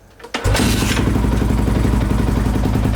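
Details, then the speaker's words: Honda XR650R big single, cold start with choke on after decompression-lever kick technique: one hard kick and it catches right away, settling into a steady, fast, choked thump; healthy cold start, choke then turned off for idle. "Bike's running, choke's on. You turn that off, get a good idle going, and that's how it goes for a cold start."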